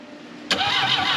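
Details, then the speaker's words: 1968 BMW 1800 barn find, carburetor full of fuel, plugs suspected fouled, after previously almost shocking someone: starter churns evenly with no firing pulses; cranks but no start, no spark. "okay stop nope we don't have spark"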